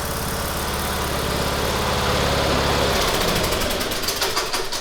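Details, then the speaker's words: Cub Cadet LTX1040 riding mower's small single-cylinder engine, running poorly, has a light regular tick, about three a second, worse when warm and most noticeable as it decelerates; source unclear, owner asks if it's serious. "I don't want to hear the engine it has a little bit of a tick especially when it warms up and I wanted the people to hear the tick so they could tell me if it's a ticking time bomb or"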